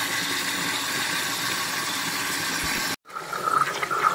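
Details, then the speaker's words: Toilet that runs continuously, with the tank lid off: a constant hiss of water flowing into the tank that never shuts off. The inlet (fill) valve is not closing and needs replacing. "There's this inlet valve needs to be replaced. As you can see, this is continual water flowing. So this inlet valve needs to be replaced."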